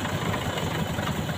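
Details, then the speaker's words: Four-cylinder engine idling during a spark-plug test with one plug disconnected at a time. The idle turns uneven and lumpy with heavier shake, showing that plug works; all four plugs were found working. Rough idle with one cylinder disabled. "Saya lepas satu, jika getarannya besar, ya, bertambah getarannya berarti busi berfungsi."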